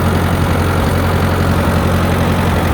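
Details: Tractor idling in neutral just after a choke-assisted start: steady, even low rumble with a smooth beat and no knocks or misses; normal idle.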